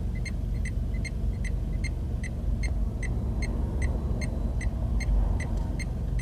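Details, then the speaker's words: Dacia Duster while driving: sharp, high electronic indicator ticks about two to three per second over steady road rumble, an unusually annoying sound; normal turn signal flasher working. "Could this have the most annoying indicator noise I've ever heard? You hear the same noise with the indicators."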